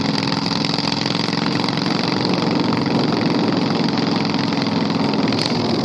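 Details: 670cc Predator V-twin go-kart running: harsh, very loud raw exhaust bark, steady and rough throughout with no muffling; no silencer fitted.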